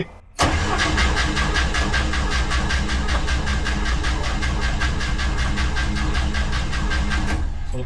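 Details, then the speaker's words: 1964 International Scout 80 cranking steadily about seven seconds without firing; mechanical fuel pump not delivering fuel, suspected rod not engaging correctly or pump already full, not confirmed; switching to electric pump. Crank, no start. "Pump is doing nothing. Nothing. Which means there's either the there's either too much stuff in it already, or the rod is not engaging."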